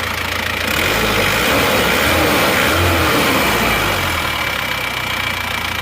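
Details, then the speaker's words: Isuzu Panther diesel running temporarily on Elf injector nozzles, idling evenly with steady clatter and a slightly hard edge; smooth but not soft, still slightly smoky; original nozzles to be refitted next. "Jadi kemungkinan itu juga mempengaruhi suara jadi suaranya seperti ini ini menurut saya sudah halus tapi kurang empuk suaranya Suaranya atas"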